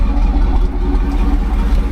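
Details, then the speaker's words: Nissan Titan V8 idling: low, steady idle with an even beat and no knocks, ticks or misses; sounds healthy and runs good. "this isn't too bad though guys it actually sounds like it runs good"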